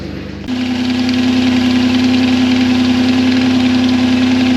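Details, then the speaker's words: 3.4L Toyota V6 (Tacoma engine) with a York AC compressor converted to an air compressor, first startup: a loud steady drone holds one pitch over the idle from the compressor's bad bearing; its pulley was also bent. "All right, that first startup was a disaster. Uh, that compressor was making noise. Turns out the bearing was bad."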